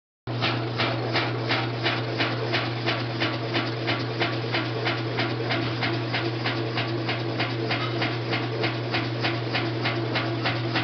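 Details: Kenmore Elite top-load washer, model 110.22942100, spinning with a low steady hum and a regular rasping pulse about three times a second; abnormal noise during spin cycle, cause unknown.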